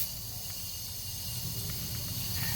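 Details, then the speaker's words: Turbo Honda SOHC engine on the dyno: a steady, sharp air hiss over a low rumble from a boost leak at a threaded intake coupler, worst underneath. The sound changes when the leak is covered by hand, costing power. "And it's actually really bad underneath when you put your hand. Hear it? You can hear that change, so not good for power."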